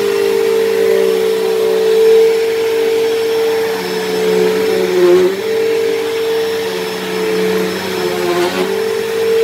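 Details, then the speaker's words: Dyson DC07 upright vacuum, long unused, running: loud, steady high whine that dips briefly as load changes; owner suspects bearings dried out in motor or brush roll, motor bearings already somewhat worn and worsening, still passable. "now even when i first got this thing this thing was a little bit loud because the motor bearings are a little bit worn but it has gotten a little bit worse but it's it's still passable"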